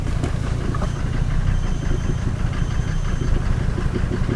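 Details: 1990 Mercedes 300D diesel with ALDA adjusted for economy, shortly after cold start, shifted between park and drive: deep, uneven idle clatter with loping irregular beat and smoke; rough idle.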